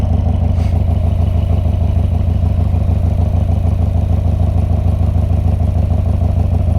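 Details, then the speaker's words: Harley-Davidson Twin Cam Dyna Glide (FXD), 39,000 miles, totally cold after CV carburetor rebuild and intake reseal, started on full choke then about a third choke: loud, lumpy but steady V-twin idling slightly high with no misses; healthy. "That's probably about a third choke. I probably could knock it all the way in. I'm gonna let it sit here and idle a little bit high for just a second, and then I'll get it out"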